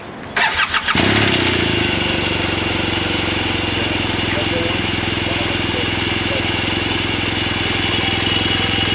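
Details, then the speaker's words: BMW boxer twin of a second rider, started and idling with a faint light valve tick, considered normal head noise for comparison against a bike with a grooved intake cam. "so lee's got i think what we would consider normal head noise on his so he's going to get grab his keys and start his up and you guys can compare the noises here all right here's lee's bike"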